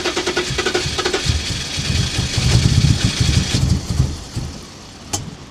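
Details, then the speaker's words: BMW E34 non-runner with fuel-soaked plugs, started on replacement test plugs in the rain: uneven, stumbling low thumps and surging; rough misfire. Timing problem or over-fueling suspected, coolant sensor unplugged to test. "She's misfiring. She's Something's happening. There's something off with the timing."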